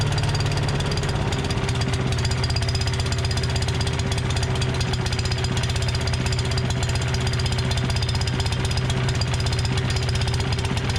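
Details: Tecumseh 5.5 hp single-cylinder on a long-sitting yard-sale MTD Yard Machines chipper/shredder, started with two-stroke mix in the carb throat: steady even beat, no misses or surging, running on its own fuel; sounds good.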